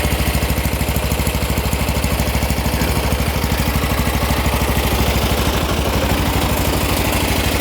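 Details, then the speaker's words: Old MTD riding mower with a cast-iron-bore single-cylinder engine, rubber engine-mount nuts tightened to cut shaking: steady, even putter at fast throttle with no knocks or misses; runs like a top, no smoke or oil burning. "anyway runs like a top it's not smoking whatsoever not burning oil"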